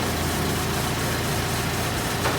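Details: 1913/1914 Detroit-made Princess, first start in about 100 years, clutch freed, driving in second gear: steady, even running note under load, no knocks, misses or rattles; owner says engine nice and smooth; normal running.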